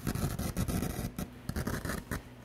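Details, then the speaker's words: Pioneer SX-750 receiver under restoration, channel noise on phono: scratchy, irregular crackle over a low hum that quits when the 4th (NPN) transistor, not included in the rebuild kit, is hit with inverted canned air; that transistor is bad. "of upside down air. See, it just quit. So that 4th transistor is bad, and"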